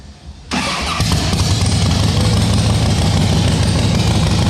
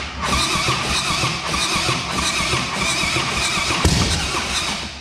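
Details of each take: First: Rebuilt 2010 Harley Softail Standard, S&S engine, after shaving about 1 mm of aluminium: catches quickly into a loud, steady, lumpy V-twin idle with even beat; starts and runs fine. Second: Rebuilt 2010 Harley Softail Standard, S&S engine: steady starter churning with soft uneven pulses, never fires, battery flat; a rocker contacting its cover held the rear intake valve open.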